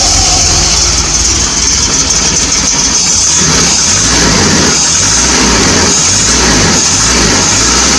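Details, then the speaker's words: 1980 Triumph TR7 started cold while checking a suspected failing water pump leak; fast, loud cold idle, slightly lumpy beat underneath, no knocks or grinding. Normal cold idle. "And like I say, she might run a bit lumpy because she's cold."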